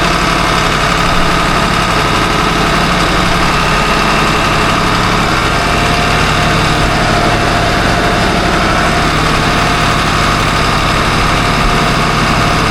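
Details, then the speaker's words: Boat diesel at about 1500 rpm: loud, even, deep drone with no grinding. The earlier grinding and belt flaking came from a metal-to-metal bearing, and the supercharger is hopefully saved. "No more noise. And that bearing when I put my hand on it and rotate it is definitely catchy like it's metal to metal. All that grinding that we were hearing and all the flaking off the belt, all that's gone."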